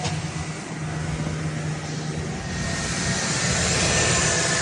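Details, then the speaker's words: 2012 GMC van that cranked but wouldn't start (ran only at wide open throttle then died) after replacing the shorted temperature sensor reading -40: starts and holds a smooth, steady idle, live data now 134; normal idle. "See, live data says 134 is the actual temperature. So now should be running good."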